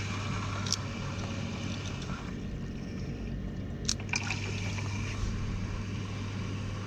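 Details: Heating system after a new oil boiler was fitted: trickling, gurgling water over the low steady hum of the circulating pump as trapped air is pushed through the pipework, with valves opened to help purge it.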